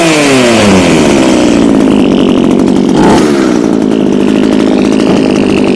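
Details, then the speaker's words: Echo HC2000 hedge trimmer after primer bulb replacement, carb adjusters removed, Seafoam added, poor oil mix causing smoke; small two-stroke buzzing high and steady with a brief dip and recovery, running cleanly after cold start. "alright guys so this is a winner winner chicken dinner"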